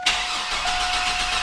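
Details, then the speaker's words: 2003 Chevrolet S10 ZR2, 4.3L V6: no fuel pump prime noise at key-on, then fast, steady starter cranking that never fires; owner suspects a failed in-tank fuel pump, not yet confirmed. "so when I do this to that position and even when I put it all the way towards the getting ready to start position um there's no fuel pump noise so I'm already confident that it's a fuel pump"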